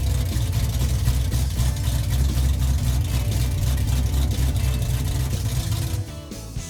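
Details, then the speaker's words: V8 on uncapped open headers before 3-inch exhaust is fitted, revved with throttle blips during restoration: deep, loud open-pipe rumble rising and falling cleanly, firing evenly; healthy engine, normal revving. "This Yeah. sounds nice, doesn't it? Oh, it sounds great."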